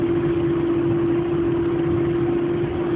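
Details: Citroën AX while coasting at speed after lifting off the throttle: steady mid-pitched whine over road and engine noise that disappears below a certain speed; cause unknown, owner unsure whether it is a concern.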